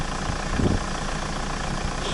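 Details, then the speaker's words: Toyota Rush, 3SZ-VE engine, a year after a knock repair, idling cold at about -20 °C with raised warm-up revs right after start. Smooth, even idle with no knocking or ticking: normal cold idle. "отлично завелась давление сразу погасло Нет тихо работает мотор все отлично слышно только дизель"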